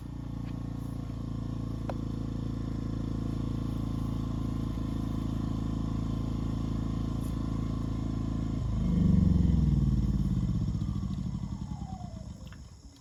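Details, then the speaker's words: WEN 2000-watt inverter generator powering a 90 amp flux-core welder with wire feed at 2.5: a steady drone under welding load, then the pitch sags and winds down as the overload trips; feed between 1 and 2 avoids the trip. "the overload that one last time and this is when I turn the feed rate down on the welder between one and two and I get the rest of the way through the weld without tripping the overload again"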